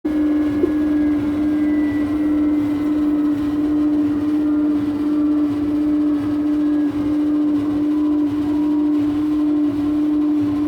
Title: whirlpool washing machine loud whine